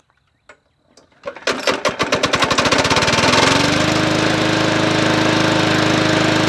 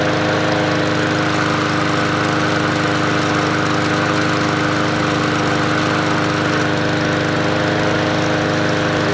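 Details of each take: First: $20 MTD Yard Machines 20-inch P510 push mower, Powermore engine, bought as non-running: pull start into fast busy run with sharp hard tapping over the engine note, smoking badly; something hitting, owner thinks not the blade, cause unconfirmed. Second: MTD Yard Machines 20-inch push mower with Powermore engine, bought as non-running, after fresh oil: steady even engine drone at constant speed, no knock; runs healthy.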